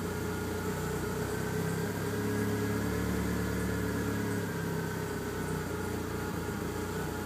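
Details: DSM engine with lean idle and cruise runs with an uneven, stumbling beat; the pull sags and sputters instead of building cleanly, indicating a misfire and bog.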